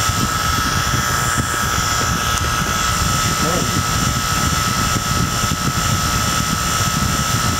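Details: Harbor Freight vacuum pump (replacement for a defective one) pulling vacuum on a Toyota AC system during first AC job: even, unbroken motor drone with steady mid-pitched hum, no knocks or surging; running normally.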